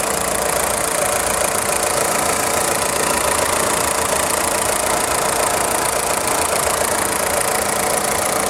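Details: VW Polo 6N2 1.4i 16V petrol: fast, light metallic clacking from the engine block over a steady idle with no misfire, stopping when accelerating; engine pulls well with strong engine braking; cause unknown.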